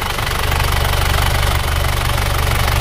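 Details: Isuzu Panther diesel after an engine rebuild for compression blow-by, caused by poor-quality aftermarket (KW) liners that were replaced with used original liners. Even diesel clatter at a steady idle, about four beats a second, no misses and no smoke: running healthy.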